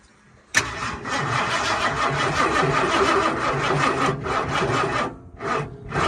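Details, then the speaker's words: Ford 460 big-block in Clifford 2.0, first start attempt with fuel pump safeties bypassed: starter churns about four seconds without catching, then falters into dying bursts; dead battery, needs a jump pack. "um I don't think it's gonna run sounds like it might be try that stuff nope dead battery dead battery"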